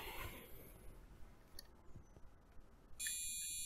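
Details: Used gaming computer with a Gigabyte motherboard and a speaker cable fitted: a steady high-pitched long beep starts at power-on and never stops, with one short beep also reported, yet the PC still POSTs and boots Windows 10. Continuous POST beep.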